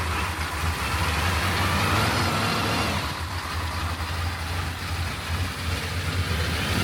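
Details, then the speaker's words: Suburban 6.2 Detroit diesel just after 25°F cold start on manual glow plug button, smoking heavily: steady low diesel clatter at fast cold idle, even beat, no misses; sound cold running. "But yeah, she's cold if you can't tell. She's smoking like a son of a gun. You can hear all that mechanical stuff in the engine, dude."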